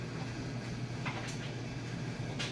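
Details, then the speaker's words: Maytag Bravos electric steam dryer after full strip-down and greasing, just loaded with a full load of clothes; low even motor hum with soft occasional tumbling thuds, no squeal, scrape or rumble; normal, quiet running. "Okay, just loaded up all the clothes there. And aside from those clothes bouncing around,"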